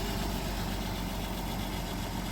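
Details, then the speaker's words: Minivan engine at 211,752 miles, just after an oil change with 5 fresh quarts, restarted to build oil pressure: a smooth, low, even idle with no ticking, knocking or rattles. "Make sure it fires back up. Builds oil pressure. Watch the oil pressure light. Yeah, not even a noise."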